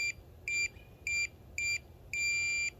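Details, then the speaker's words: Minelab Pro-Find pinpointer on a 9V battery, minus sensitivity button pressed: four short high beeps, then one longer tone. This sets minimum sensitivity; five plus presses give maximum. "that means we're on minimum sensitivity if we press the plus button one two three four five it's maximum sensitivity"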